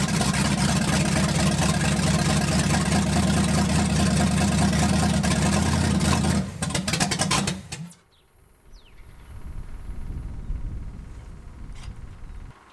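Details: 1980 Dodge short-bed big block V8 during cam break-in on points distributor, first run in 14 years; runs loud and lumpy about six seconds then stumbles and dies, rough running blamed on finicky points.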